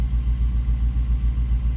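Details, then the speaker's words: 2006 Jeep Grand Cherokee SRT8 6.1 Hemi with about 335,000 km, on a cold start after new coils, new spark plugs and an injector rebuild. A lumpy V8 idle chugs as it drops to lower idle, with cylinder 5 misfire counts climbing and code P0305 set. "Now, as the vehicle goes into its lower idle, you're going to see that the cylinder 5 misfire count climbs. And you're going to see it both the CAT and the ECM. And now we've thrown a code. Now right now, I don't know if you can hear it, but you can actually hear the misfire"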